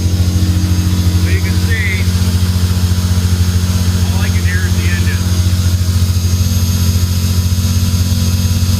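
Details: 1998 Ferrari 355 F1 with no muffler, custom pipes, OEM headers, bonnet cover open, just after start: deep engine rumble with a faint high whine from the secondary air pump, which runs about two minutes and draws vacuum through its filter; working normally.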